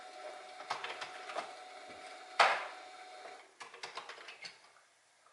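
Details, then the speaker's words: Commodore 1541 disk drive, found dusty in a backyard shed, reading a disk directory: scattered scratchy ticks and a coarse grinding burst; grinding while reading, drive struggles with the disk, cause unclear. "like it's working makes a makes a kind of a grinding noise you can probably hear that"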